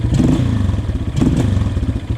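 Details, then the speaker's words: 2003 Honda CRF230F after needle clip change and cleaning, warmed up: single-cylinder thumping with throttle blips that sag and stumble instead of picking up cleanly; bog on throttle, possibly needing a richer main jet. "Still a little bogggy. Might need a richer main jet."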